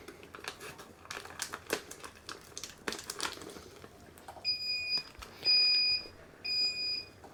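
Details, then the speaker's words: Home-brew kettle controller during an all-grain amber ale boil: three clear high-pitched beeps about a second each over quiet handling as the 60-minute timer starts; normal. "Trước tiên, tôi nghĩ hãy tắt tiếng bíp đó đi."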